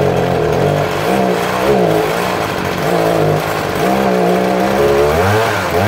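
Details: Stihl HS81T 23 cc hedge trimmer, built October 2013, primer replaced, just started after many pulls: a small two-stroke buzz rising and falling with light throttle blips, running clean and fairly quiet; healthy.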